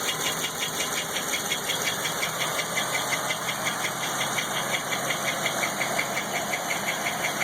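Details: LT1 engine with unknown noise: light, regular ticking about three per second over a quiet idle, rising with a couple of small revs; source unknown.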